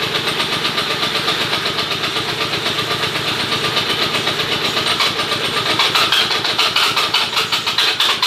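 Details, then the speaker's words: 1/8-scale 3D-printed Supra with two-cylinder model engine, started after filling the fuel tank: buzzy uneven twin pops about four a second, surging and stumbling; glow plug leaking fuel though not loose. "I took the wire out and the glow plug looks like it's leaking fuel here so I'm going to have to take it out and see but it's not even loose"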